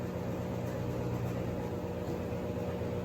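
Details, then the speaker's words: Three-year-old Sears Kenmore top-load washer at maximum spin after replacing the gearbox/transmission, which appears to have been the cause of the earlier bearing-like noise; now a steady low hum and smooth even whir, no grinding. "okay the moment of truth the light is on spin and now we're going to find out if i fix the noisy problem with it it's spinning up"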